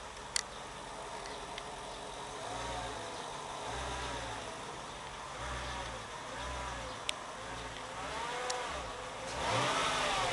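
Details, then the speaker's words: 2005 Mercedes W211 E55 AMG at idle: thin whine rising and falling with each light throttle blip, owner likens it to power steering noise; engine-driven, origin unknown. "this one wine I just slightly push accelerating and you can hear that sound that wind"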